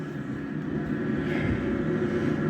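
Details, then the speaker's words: Diesel heater just fired up in a cold cabin at 3–4 °C: steady burner roar with fan rush underneath, even and unchanging, blowing hot air from vent, burning normally. "i've just fired the diesel heater up but it's uh the burner's if you running hear that i guess you can that's hot air coming out of the vent"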